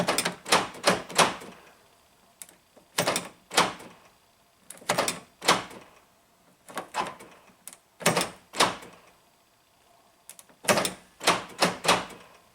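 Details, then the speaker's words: 1996 Geo Prizm (Toyota Corolla) power door locks, driver's door test: quick clusters of three or four sharp clunks every couple of seconds, actuators firing repeatedly on their own; cause unknown. "lock works fine you can hear all the locks go kucing and then unlock it does not stay unlocked it keeps pulling them down"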